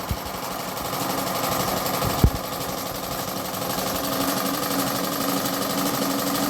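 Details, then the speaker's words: Repaired analog sewing machine test-stitching after service: smooth, even whirring stitch rhythm, steady with no knocks or catches; normal running. "দেখুন মেশিনটি ঠিক করা হয়ে গেছে। এখন সেলাই দিয়ে দেখতেছেন সেলাই কেমন হচ্ছে আপনাদেরকে দেখাই।"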